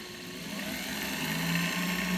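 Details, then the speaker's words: Universal Pillar Tool driven by an electric motor through a blue drive belt, with the ends melted together, and a router speed control for variable speed: even motor hum rising gently as it speeds up, no slap or squeal, normal belt drive running. "The action is nice and smooth. That's obviously using the router speed control part for the variable speed."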